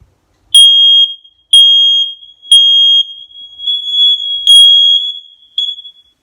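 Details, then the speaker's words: Test of six new hardwired, interconnected smoke alarms, test button held until three beeps: loud shrill beeps about once a second settle into a steady piercing tone, sounding through the whole house; all working normally. "You hear that? It was going all over the house. So they're all interconnected. All working."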